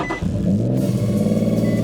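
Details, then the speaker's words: Boosted Nissan G35 (Greddy twin turbo, built engine, long run on E85), cold start: catches fine, then with foot off pedal the idle stumbles and surges with rough low rumble; owner suspects dirty fuel injectors. "starts up fine take my foot off no pedals and she starts to sputter like right here"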